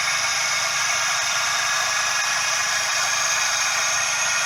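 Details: Suzuki Every DA64V engine, heard up close at the belt: steady high hiss and rushing whir with no rhythm from the belt tensioner bearing; confirmed cause is the belt tensioner bearing.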